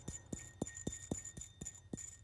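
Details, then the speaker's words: Ford Ranger 3.0 V6, lower idler pulley removed and hand-spun: dry, regular click about four times a second as it coasts down; worn bearing causing the squeak, pulley needs replacement. "if I take that and spin annoying finger you could hear that noise"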